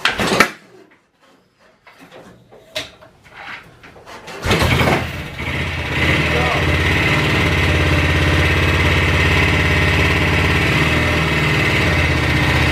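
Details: BSA 441 single-cylinder motorcycle with Amal Premium carburetor, first start after carb strip and float set (earlier ran terribly); after a few quiet kicks it fires and settles into an even thump, three to four beats a second, idling steadily.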